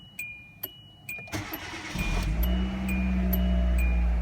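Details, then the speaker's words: 2009 Hyundai Accent right after replacing a starter that cranked intermittently (owner suspected the solenoid): faint clicks and a beep, then one short crank and it fires straight into a steady idle. "alright started right up now again the old starter it started don't get me wrong it wasn't completely dead"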